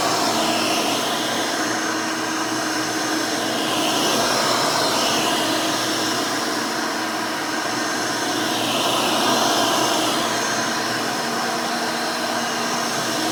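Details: Rebuilt Hoover Elite 600 upright vacuum with new 7 amp motor and 20-blade fan running; smooth, even high whir at one steady pitch, no rattle or scrape; fairly quiet, like the original 6 amp, healthy.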